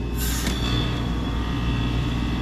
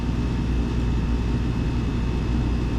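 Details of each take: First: Old York R22 packaged heat pump with an intermittent defrost fault, forced into defrost by shorting test pins and jumpering R to DFT: sharp rushing whoosh over steady low hum, then a settled run; outdoor fan stops, a normal defrost changeover with some rattle at the top. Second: Old York R22 packaged heat pump with an intermittent defrost fault, forced into defrost again via test pins and defrost thermostat jumper after returning to operating pressure: steady compressor drone, sharp click, sudden refrigerant hiss whoosh; fan stops this time, unlike previous tries.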